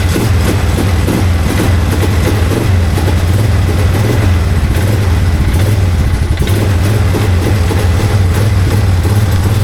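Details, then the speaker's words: 2001 Polaris Sportsman 500 HO after no-spark fix, wired to run off the battery instead of CDI/stator: deep, even single-cylinder thump at steady speed, no stumbles; runs well, though fuel leaks and key-off doesn't stop it. "Runs runs pretty good. Ran pretty good."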